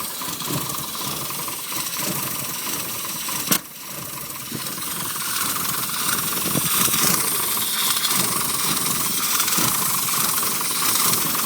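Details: Rover Mini SPi petrol engine idling: sputters badly in irregular pulses under a strong hiss, and died when revved; caused by a bad crankshaft position sensor, not drivable until replaced.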